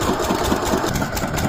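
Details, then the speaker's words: Diesel engine water pump set drawing well water, said to burn about 1 litre of diesel per hour: an even, rapid single-cylinder diesel beat with a steady clatter and no misses or knocks; running normally. "ये आवाज़ भी बहुत कम करता है और इसमें बहुत ही अच्छा माइलेज बैठता है और पानी भी अच्छा देता है।"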